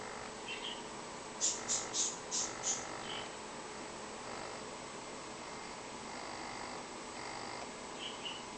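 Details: Traxxas RC transmitter antenna touched by hand near a speaker: five quick high chirps, about four a second, then quieter buzzing over hiss, the speaker picking up the transmitter's interference; the cause is suspected, not confirmed.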